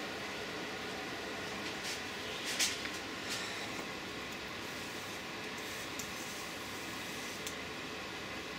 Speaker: now I'm listening and it sounds like when I just shook the color up I've got some air bubbles in so I can hear a bit of a splatter coming out